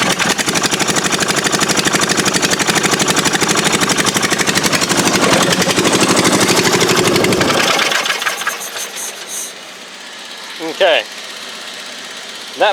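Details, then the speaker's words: Murray riding mower with a 22 HP twin engine: lumpy, uneven beat about four a second before stalling. Running on one cylinder; spark was good, and with the valve cover off a bent, dislodged pushrod was found. "all right so I got the valve cover off and check this it's like we've bent pushrod Wow"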